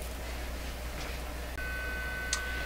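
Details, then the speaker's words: DeForest 10DA517 AM radio being fed a test signal: mains hum, then a steady high test tone with a gritty, buzzy edge that sounds distorted despite a clean sine on the scope; the damaged, holed speaker cone is causing the distortion. "I'm going to vary the input signal level and listen to it it already sounds it sounds distorted to me and this is a bit of a big concern"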